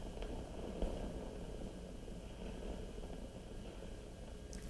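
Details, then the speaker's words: 1940s RCA CR-88 tube receiver after mica capacitor and RF-stage resistor replacement, probing the mixer cathode, which has very low voltage across it: low uneven rumble with scattered crackles, a noisy component. "all right let's try the mixer cathode so now this will be interesting because there's really low voltage across this all right so let's try this out you know that's noisy too"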